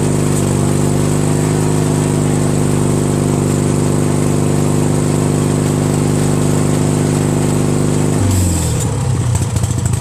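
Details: Craftsman DYT4000 lawn tractor repowered with a 14hp Briggs opposed twin, electric PTO engaged with the deck belt removed. Steady, even twin-cylinder drone, no knocks or misses, then an abrupt pitch change near the end. Engine and PTO run normally.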